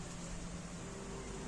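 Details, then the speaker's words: Hanabishi fan being repair-checked, plugged in via extension: steady, even low hum with faint constant tone, no rubbing, ticking or wobble; motor runs normally on its one remaining working speed line. "So kailangan po umandar po yan kasi meron pa po siyang natitirang isang line."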